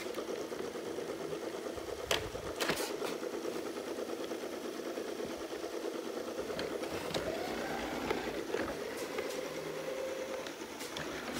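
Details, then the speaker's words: Shark Ion robot vacuum self-docking test: light steady whirring with bumps and clicks as it wanders, taking a long time to find its charging dock; possibly a bad charger suspected, it eventually docked. "it's still having a hard time finding the charger, and I think this one actually might have a bad charger on it. Nope, it found it. Okay, so it found it. It took a while."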